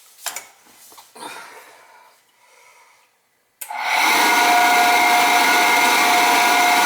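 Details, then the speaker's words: Oil-fired boiler burner that wouldn't fire up: quiet handling, then harsh whirring roar with thin whistle as burner motor starts; technician says pump could be bad but suspects the motor isn't spinning up enough. Suspected, not confirmed. "could be the pumps bad but sure sounds like the motor we've gone walking on us let's see if it fires up could be that mold is just not spinning up enough"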